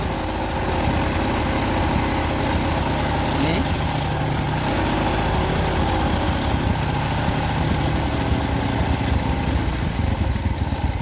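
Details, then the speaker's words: Suzuki New Smash motorcycle after main jet adjustment, still using too much fuel; uneven single-cylinder idle with a faint airy hiss from a broken vacuum fitting that stops when covered; vacuum leak causing rich running and poor idle. "Oke kita tutup dulu suaranya bocor seperti ini Nah kalau kita tutup aman Oh gak ada suaranya"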